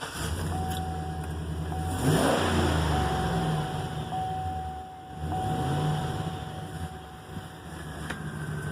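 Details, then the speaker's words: Chevrolet 2500 HD 6.0 V8, restarted after the valve cover was pulled and a rocker part replaced for a suspected lifter tap, after sitting two to three months: steady even idle with a smooth low rumble, no ticking or tapping; normal idle. "so there it is I hope how cleanly you can hear it but there's no chaplain whatsoever I ran it with the cover off for a little bit it ran perfect"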